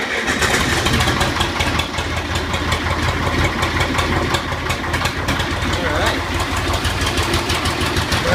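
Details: 1984 Agri-Power 5000 (Zetor 5011) diesel tractor, push-button start: diesel catches right away and settles into an even, steady low-pitched chug with no misses or knocks; healthy cold start and idle.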